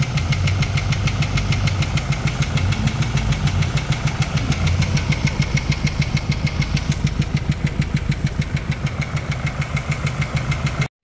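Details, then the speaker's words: Ford Raptor engine at idle: sharp steady tapping about three times a second with air puffing back out the intake; a piston struck one of cylinder 2's four valves, cylinder 1 undamaged. "Ayan, kaya nga binuksan po natin ito dahil doon sa ingay na yon, yung tok tok tok tok, saka yung hangin, lumalabas yung hangin sa intake, kaya nakakaroon ng ingay"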